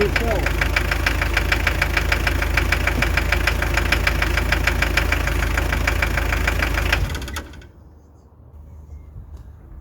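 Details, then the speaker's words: Hyundai Terracan 2.5 diesel (D4BH) at idle: sharp, very regular knock about three a second, appearing after the head was removed and refitted with timing set to marks and valves adjusted. "Что может быть? Что за стук такой непонятный произошёл?"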